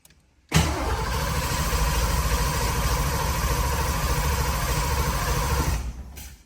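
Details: 1986 Foxbody Mustang after new head gaskets, new intake bolts and a throttle body swap, key cycled to prime fuel: steady, even cranking at about 3.5 turns a second for five seconds, no catch, grinding or clicks. Healthy cranking.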